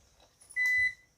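One short, high-pitched beep of about a third of a second in a quiet room; the UPS is sounding an alert.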